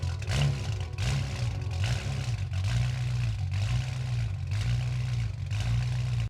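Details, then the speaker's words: BMW F10 M5 4.4 L twin-turbo V8, first start after valved exhaust install with vacuum lines taped off: deep burble whose revs drift up and down by themselves, idle hunting, owner suspects something he messed up; cause unconfirmed. "Hmm, the BMW sounds like it's cammed. Something's not right. For some reason the revs are it's just revving weirdly by itself."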